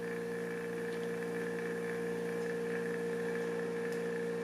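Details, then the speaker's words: Knockoff Pierburg BMW electric water pump, supply lowered from 12 V to about 9 V so PWM duty can go below 100%: steady constant-pitch whir, no rattle or grinding; variable speed now achieved. "I hope you're watching the wiggles on here. And now we have variable speed, which is what I was looking for."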